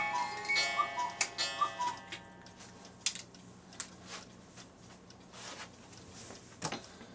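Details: Cuckoo clock repaired earlier. A short music-box tune is followed by an even tick-tock; it is running cleanly.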